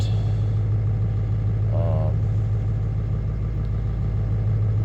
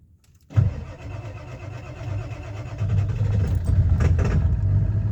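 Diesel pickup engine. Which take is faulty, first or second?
second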